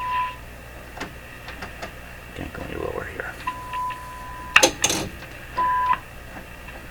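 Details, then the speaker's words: Viking Model 4516 tube radio during a wax-capacitor replacement, signal generator fed through an induction coil and swept: short whistles pop in and out over static. Spurious tones; the owner suspects a second signal entering the mixer like another local oscillator. "what is that smart stuff coming through here 1i f to other I F now we'll go up to oh my gosh history is full of junk"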